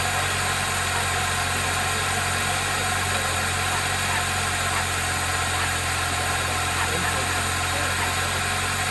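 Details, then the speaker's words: 2003 Toyota Celica GT with a 1ZZ four-cylinder, just revived after sitting: a steady idle with an even hum and no knocking or tapping. Some smoke is blamed on rodent debris; the engine runs smoothly. "But the most important thing is she runs, and she ain't a knocking yet."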